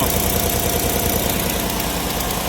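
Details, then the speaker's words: 2018 Chevy Silverado 5.3 V8: steady, even idle with no stumble, misfire fixed; a slight exhaust leak from a broken exhaust manifold bolt remains. "But yeah, that fixed the misfire. So I'm actually kind of surprised."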